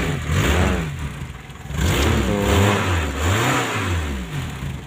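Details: Zebra engine just fitted with original contact-breaker points in place of knock-off points that caused hard starting and weak spark: catches and blips cleanly up and down several times, revs rising and falling evenly, no misfire.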